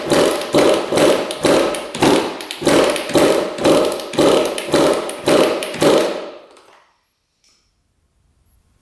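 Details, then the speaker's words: 1999 Suzuki RM80 two-stroke after repositioning the coil boot, before the plug change: uneven surging pops about twice a second that fade and die after six seconds. Erratic running and stalling; runs much better after a new spark plug. "W now I just died again really odd all right we changed up the spark plug now she's running a lot better"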